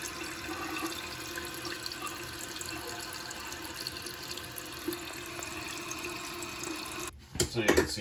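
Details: Toilet tank after replacing all the tank plumbing to fix constant running, on the test flush; steady even hiss of refilling ends cleanly with a splash, fill valve shutting off properly to a lower water level.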